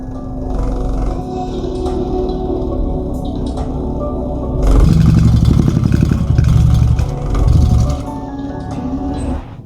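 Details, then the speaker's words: Subwoofer with Dayton Audio 10-inch 800 W drivers and two 15-inch passive radiators, playing music; loud low bass with rough flapping buzz, worse at higher volume; passive radiator spider torn again. "yeah, that's not supposed to happen. We tore another spider."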